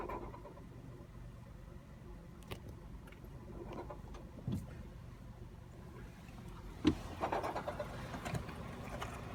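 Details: 2007 Mazda 3 2.0L low quiet idle with scattered light rattling clicks coming and going; persists after replacing both belts and the tensioner pulley, which cured earlier squealing; source unknown.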